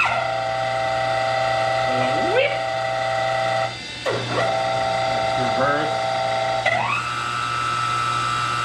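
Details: Lathe's 3 hp two-speed two/four-pole motor on a loud phase converter, not properly tested before purchase; steady hum with several tones jumping and sliding at each speed switch, loud and unsettled, worse switching between speeds; motor warble at low speed.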